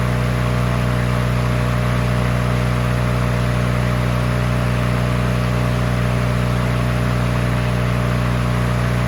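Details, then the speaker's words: Free push mower that sat 6 years with water in the engine, after an oil change with its throttle rigged to a lower setting and before the head gasket replacement: a steady, even hum at constant speed with no misses or knocks. It runs normally. "Well, this is running good."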